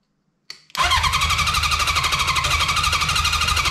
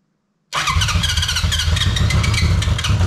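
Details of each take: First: 1983 Honda CB750 stored about 10 years, tank removed and external fuel source fitted, first start attempt: starter spins engine at steady rhythm, stops, tries again, never fires; crank no start, spark present. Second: 1983 Honda CB750, first start after at least 10 years stored: fires at once and settles into a lumpy, slightly uneven four-cylinder run; starts cleanly after long storage.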